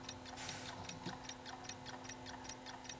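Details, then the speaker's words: 1965 Canadian-made Westclox Stanton transistorized battery clock, previously not running; light steady ticking about two and a half beats a second, even rhythm, movement running normally. "to hear that thing ticking away"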